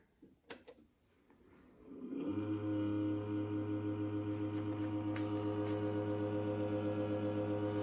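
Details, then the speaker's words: Pyle 7.1 surround sound AV receiver: loud, steady low buzz with a fast flutter like an aircraft engine. The internal PC-style cooling fan is loose, with play in its mount. "this thing has always been loud with the fan since i got it but just the other day it started getting really loud sounds like an aircraft engine"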